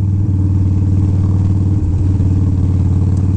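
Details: 1983 Harley-Davidson FXR that had been running on one cylinder, after repair; ridden under load with a strong, even V-twin thump and no misfire or stumble; engine now runs smoothly on both cylinders.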